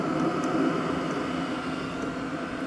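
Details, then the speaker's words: HCALORY HBH2 5L 8KW diesel parking heater in a garage after being switched off: steady fan whir with a soft constant tone and no combustion roar as it runs its cool-down cycle on the burner before stopping; normal shutdown cool-down. "It'll now power down. It's important you keep the power on until it stops all together. It goes to a cycle to cool the burner down and eventually it will stop."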